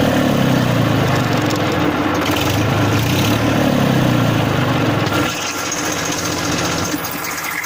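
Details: 1994 Massey Ferguson 1035 DI tractor diesel at idle: steady low hum, even beat, no knocks or rattles; normal, healthy idle.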